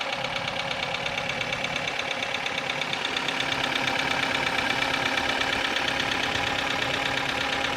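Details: Kia Ceed engine knock: crisp, regular clacking of about three ticks a second over the idle, coming from the top end of the engine; cause suspected, not confirmed.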